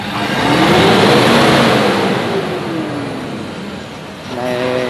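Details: Toyota Vigo diesel revved to 3,000–3,500 rpm before injector cleaning, owner reporting poor acceleration, black smoke and slightly higher fuel use: revs up cleanly, holds, drops back smoothly; pulls freely, pipe judged not clogged.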